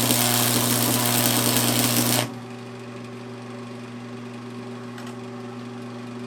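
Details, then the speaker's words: 1982 Montgomery Ward Powr Kraft 230 A stick welder, cranked to maximum with a 5/32 6011 rod: loud steady arc crackle over deep transformer hum, then hum alone; welds well, vibrating sound because it sits on a metal plate. "You can definitely hear it trying to pull those things down. She's welding nice. She's making some vibrating sound just because she's on this metal plate here."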